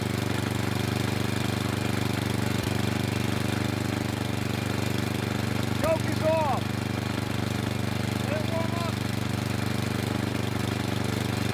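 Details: Craftsman snow blower with Tecumseh engine, cold start in winter on mid choke: steady single-cylinder putter with slight unevenness but no stumbling toward a stall. Rough running on partial choke.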